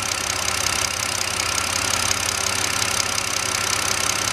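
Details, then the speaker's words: 2009 BMW 5-series inline-six: even, steady idle beat with no stumbles; all six coils now fire properly on the scope chart. "so we're looking at pretty much all six cylinders on one screen the spike ups in the beginning of each one is just me going on it's the initial quake that the tool is seeing nothing to worry about"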